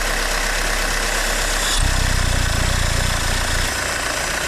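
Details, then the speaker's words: 2008 Audi A4 2.0 Turbo with P0171 lean bank 1 code, after MAF replacement: at idle, strong airy hiss when oil filler cap is opened and cap is hard to remove, suspected failed PCV crankcase valve; vacuum leak. "So when we start the engine and try to open this up, you can actually hear the hissing."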